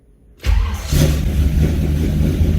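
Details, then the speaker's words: 1978 Ford Courier in cold weather, rebuilt carburetor: brief crank, quick catch and a steady even low idle, the engine starting promptly and running normally; alternator checked at about 14.1 volts. "okay I forgot this thing starts right quick I always forget that I did this carburetor pretty good"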